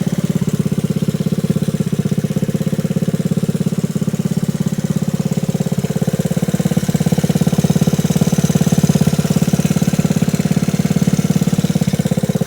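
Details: Frame-off restored 1986 Honda Z50R pit bike with aftermarket exhaust: steady, even single-cylinder putter at a quick idle, rapid regular pulses, no knocks or misses. Running cleanly.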